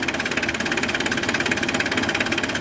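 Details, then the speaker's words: 1993 Mitsubishi Delica Starwagon Chamonix 4x4, 2.5 L turbo diesel, about 25 years old, just started and warming: steady even diesel clatter at idle with regular beat, no stray knocks; runs healthy. "Like I said, the dual battery, gigantic 2.5 liter turbo diesel, Mitsubishi's finest. Sounds like a diesel, runs like a diesel."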